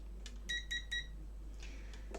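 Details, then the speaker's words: Multimeter in diode mode beeping while testing a JVC UX-D150 valve audio amplifier with no power: short, clean high beeps each time the probes touch, showing a completed circuit. "I measured it, so I'll put on the beep so you can hear."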